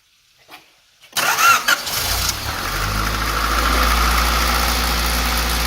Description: Rattle noise coming from distributor; / replaced dist; same problem / check lma's are all ok / valve lash performed and ok / Noise stills there